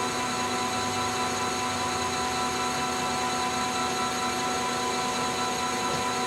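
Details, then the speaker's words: Lathe longitudinal cut on heat-treated and tempered 4140 chrome-moly steel at low speed, 0.025 depth of cut; steady even hiss, no chatter or tearing, finish relatively smooth versus torn annealed stock; smooth cut on tempered steel. "so at low speed the uh the Finish is still a hell of a lot better than the uh the just plain anneal you can see that it kind of chunks have been torn out of the annealed one whereas this is relatively smooth"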